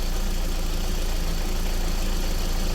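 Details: 2001 VW Beetle 1.8T with code P0322 and hard starting: steady low idle hum with no misses or stumbles; the signal is not lost and the intermittent fault is not reproducing.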